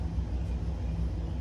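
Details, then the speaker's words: Hyundai Sonata cooling fan unplugged from its control module and powered directly with test leads: steady smooth whir with no rattle; fan motor works, so the fault is power from the control module; normal cooling fan running. "The fan is now spinning. So, that means the fan is totally working."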